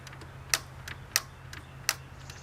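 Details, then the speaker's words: John Deere 325 mower that ran fine last year, parking brake on, hydrostatic in neutral and choke on: four sharp single clicks at the key with no cranking at all; clicks but never turns over, cause not yet known. "we're just getting some clicking so not sure what that means so let's get in here and find out"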